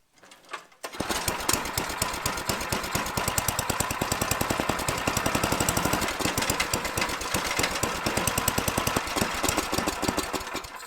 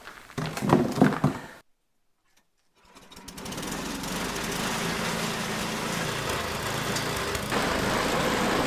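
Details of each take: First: Tecumseh-engined Troy-Bilt/MTD snowblower, after friction ring replacement, sputters and surges at about half rpm with slow uneven chuffing; owner suspects gummed-up, clogged carburetor needing removal and cleaning. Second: Tecumseh-engined MTD/Troy-Bilt snowblower after cleaning a gunked-up carburetor and dirty gas tank: a few seconds of clatter and a pause, then it catches and settles into a steady, even putter; running normally.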